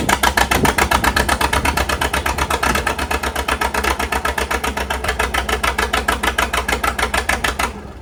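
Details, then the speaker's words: Tractor running with a slow, choppy put-put at about four beats a second with uneven spacing, only firing on two cylinders; owner suspects moisture in the ignition, likely the distributor, after sitting outside overnight in rain. "only firing on 2 cylinders. What the heck is wrong with this thing? Sounds like a Johnny Popper."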